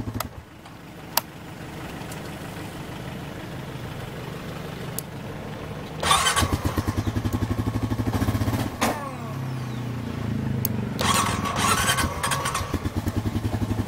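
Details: Honda 420 starting with the front brake interlock, cranking briefly, catching, then idling with an uneven stumbling beat and skipped firing; misfire, cause unknown.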